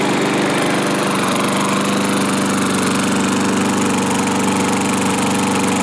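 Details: 1986 Murray lawnmower after restoration with parts from a hoard and fresh oil, started on full choke (choke-only control, no throttle); loud, constant buzzing putter holding a steady speed without stumbling or rattles, runs well. Owner is watching a possible gas-tank leak.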